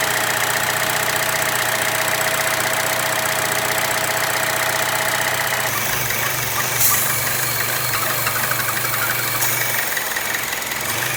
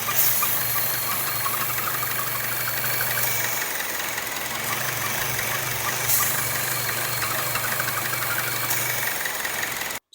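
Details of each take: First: Chevy Cruze/Sonic 1.4L after PCV valve/valve cover replacement for rough running and P0106/P0171 vacuum leak: fires and settles into steady even idle, smooth hum, no misses or hiss; normal idle. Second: Chevy Cruze 1.4L with codes P0106/P0171, engine cover off: idle carries a constant airy hiss and whistle over a faintly uneven beat; vacuum leak from holed PCV valve diaphragm in the valve cover, fixed by replacing valve cover.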